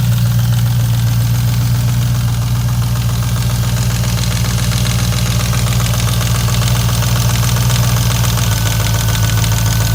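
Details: 2002 Jeep Grand Cherokee 4.7L HO V8 with timing chain slack: heavy regular knocking at about four per second, locked to idle speed; oil pan removal found a failed rear main bearing and loose crank rod bearings.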